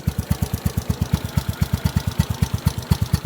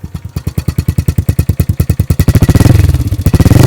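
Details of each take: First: 2015 Honda Wave 125i bored to 143cc, nearly double stock power, rev limit 10,000 rpm: even deep raspy exhaust pulses at idle with light tinny rattle, possibly inside the aged pipe; normal. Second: 2015 Honda Wave 125i bored to 143cc, fuel injected, single cylinder: putts evenly at idle, then blipped several times; thin tinny rattle over revs, owner believes something loose inside the exhaust pipe after years of hard use.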